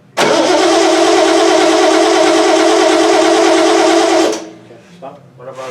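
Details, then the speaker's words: 1976 Triumph TR6 cranking: steady starter churn about four beats a second, no catch; cranks but won't start. Airbox removal found a stuck piston/air valve in the rear carb, which was fixed. "so we took the airbox off and we found that we had a stuck piston or stuck air valve in the rear carb so we fixed that"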